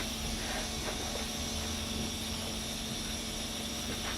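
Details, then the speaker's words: Porsche 924 during first start attempt, ignition on: faint steady low hum under background hiss as the electric fuel pump runs normally; engine cranks but not yet started, timing possibly out. "What, you not hear that running? That's the fuel pump. It's running now? Yeah, just keep it over. That's the fuel pump."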